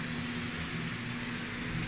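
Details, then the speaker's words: Samsung automatic washing machine with 4C error, after repair: strong steady hiss of water filling the tub at full flow, where before it only trickled weakly; inlet now fills normally. "yan so Ayan lakas na ng tubig niya So kanina hindi ganyan yan kanina parang ihi lang ng pusa na pakonti-konti"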